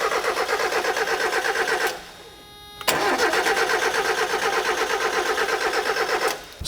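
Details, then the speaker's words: 1994 Mazda Miata cranking but not starting: starter churns in a steady, even rhythm with good load, pauses, cranks again, never catches; strong even compression. Cause suspected, not confirmed. "just hearing it crank, I can hear that it has good, strong, even compression. There is a good load on the starter from the compression being good."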